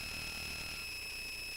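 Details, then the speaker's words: A steady high-pitched whine with constant hiss comes from the Touchboard audio board's speaker; the owner mutes it, and poor filtering is suspected. Not confirmed. "all right and I'm going to mute that because that is a very annoying sound"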